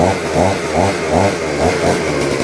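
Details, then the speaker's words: Vevor two-stroke pole hedge trimmer, first start of the day on choke: engine surges with throttle blips but no cutting chatter, blades won't move; seized, stuck blade gearbox. "I'm giving it I'm giving it gas, but as you can see the blades will not move."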